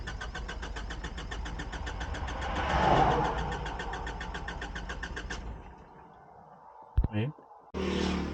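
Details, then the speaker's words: Self-built motorhome, engine hot; fast even cranking for about five seconds without catching, then stops; recurring hot no-start, starter motor suspected. "शायद मुझे starter motor को फिर से चालू करना होगा। यह फिर से हो रहा है,"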